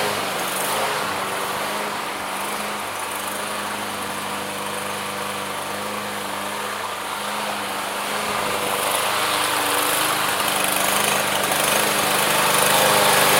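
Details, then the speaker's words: Yard Machines lawn mower single-cylinder, barely used, hot start after Seafoam treatment: steady speed, mostly even with slight unevenness, roughness clearing as it runs; rough running smoothing out, cause not confirmed. "Alright, so originally I was going to leave this run and go sell the blower. It actually cleared up a lot."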